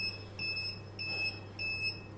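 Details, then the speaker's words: Inverter running a boiler and Wi-Fi router from an Electronicx 12 V 100 Ah gel battery, after about six hours, voltage 11.7 dropping to 10.9 V: short high double beeps about every 0.6 s over a low hum, low-battery warning, battery effectively discharged. "е який писк блимає остання ця акумулятор фактично розряджений тому будемо виключатися переходить на іншу Батарею"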